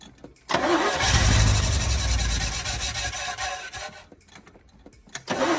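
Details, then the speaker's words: 1972 Chevy K10 4x4, 350 V8, sat 20+ years, fuel lines cold, apparently pulling fuel: cranks, catches, runs rough a few seconds, sags nearly dying, catches again; owner thinks he flooded it, suspects fuel delivery. "It has really good oil pressure when it does fire, so I'm not worried about hurting the engine that way. It just doesn't seem like it wants to run very good."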